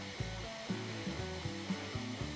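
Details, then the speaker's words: Bambu Lab A1 3D printer printing lines over a glued-in steel washer, with a centre bridge added to shorten the span: quiet stepper whine with soft, uneven taps every quarter to half second as the nozzle knocks on raised bridging strands. "I've added a center bus to try to make the span smaller you can hear it's knocking on a bit sticking up"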